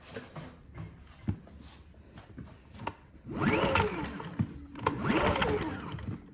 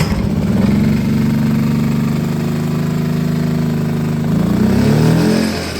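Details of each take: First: Predator Super Quiet Inverter 2000 generator that sat a while: repeated pull-starter strokes about every two seconds, engine spins freely but never catches; no-start because the intake and exhaust pushrods had come off the rocker arms, so the valves don't open. Fixed by reseating the pushrods and adjusting valve lash. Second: Predator Super Quiet Inverter 2000, reassembled after reseating pushrods and adjusting valve lash, restarted on the pull starter with eco throttle on after sitting a while, oil very black: settles into a steady, even hum with no knocks or misses; running normally.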